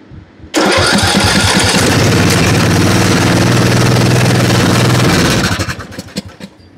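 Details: Briggs & Stratton Intek single-cylinder riding mower engine, after repair of a broken camshaft compression-release (decompression) part that had stopped it turning over, catches at once and settles into a steady, even run before shutdown; starts and runs normally.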